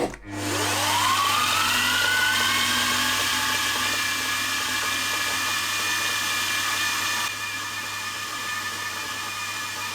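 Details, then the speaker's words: Milling machine in high gear running fast; it is fine in low gear and in neutral. The motor spools to a steady high-speed whir with a coarse, gritty "bag of nails" rattle. Owner suspects the gearbox, not confirmed. "I don't know what's wrong with the mill it sounds like a Bag of Nails in in the gearbox when it's uh in high gear and running fast"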